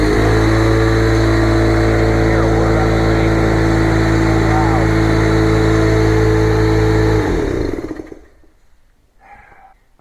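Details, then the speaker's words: Old shop air compressor whose tank has not been drained of water for years, so its safety is doubted and it is being replaced: loud, steady pounding drone with a fast piston beat about three per second, then it cuts off and winds down. Very noisy. "This one makes so much noise when you turn it on and it's running. You can't even talk in here. I mean, it's loud."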